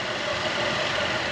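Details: 2010 Buick Enclave CXL V6 with a quiet, steady idle and even hum, no stumbles or misses, after the leaking vacuum hose was replaced with a thicker hose with a heat-protective cover, curing the misfire.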